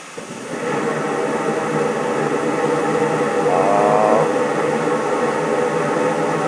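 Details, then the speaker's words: Residential gas furnace being upgraded, burner relit after purging the gas line and earlier flame cutting out: steady even flame roar with no sputter or cutout; burner lit and running normally. "That's the sound I wanted to hear."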